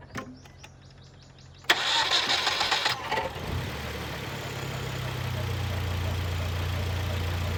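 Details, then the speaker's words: Hyundai Genesis Coupe 2.0T after drive belt replacement (old belt frayed, missing a rib): brief crank, then smooth steady idle with even low hum and no squeal or chirp; everything seems okay. "looking good everything seems to be okay"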